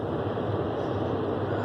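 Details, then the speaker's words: Rheem gas furnace that had no heat, back running after a blown undersized 2A fuse was replaced: igniter heard, then the blower fan turns on with a steady, even whoosh, no scraping, rattling or bearing squeal; normal blower running. "Just going to replace the inspection cover. I can hear it, the igniter going. Fan just turned on."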